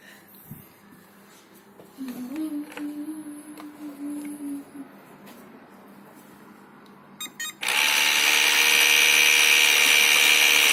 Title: Ilife v7s pro-screeching sound from main brush motor